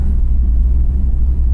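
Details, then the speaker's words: V8 on E85 flex fuel with a Holley ECU, cold start at 21 degrees with 21–22 psi oil pressure after priming. Deep, even, steady rumble with no misses or knocks; idles smoothly from cold. "cars running uh yeah it wasn't a bad cold start considering the e85 um yeah this thing runs great on the holley"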